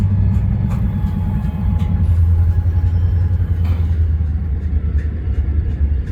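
Deep, steady diesel rumble at idle with sharp, irregular knocks popping through every second or so; the source of the knock isn't identified.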